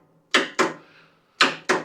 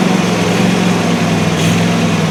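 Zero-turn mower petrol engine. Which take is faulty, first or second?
first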